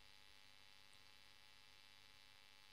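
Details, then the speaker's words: Marshall Kerry King Signature amp, no playing, after swapping V1 for a low-noise 7025 (V2, V3 made no difference): steady low mains hum under faint hiss, about half the noise removed; residual preamp hum. "so we've got three very very noisy preamp valves"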